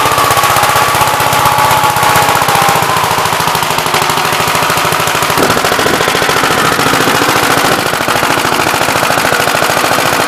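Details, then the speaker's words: Gravely "Big Blue" 53 L single-cylinder tractor after rebuild, gauge showing some oil pressure, oil leaking at the oil pump, intake hose fallen off: loud, rapid, steady popping with no knocking or grinding, sounds better than ever; normal running. "So we actually got oil pressure. Sounds a lot better than it ever did."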